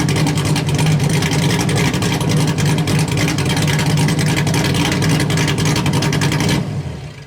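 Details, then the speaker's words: LS1-swapped Hyundai Genesis Coupe, HCI-cammed refreshed engine, first start on a base tune through short open exhaust: loud, lumpy V8 rumble pulsing steadily at fast idle before fading; normal running, though a temperature issue noted. "So we do have this thing fired up and running now. We did get a bass tune on it and everything like that."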